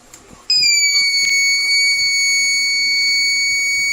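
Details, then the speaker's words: TBE 2000 W power inverter with no output: with the output powered on, a sudden steady high-pitched buzz holds without a break as the protection alarm trips, so no waveform appears at the output. "Pagka nakarinig kayo ng ganyan minsan hindi tutun ay hindi magkakaroon ng wave form doon. Hindi lalabas kasi nga magti-trigger yung protect o kaya yung alarm."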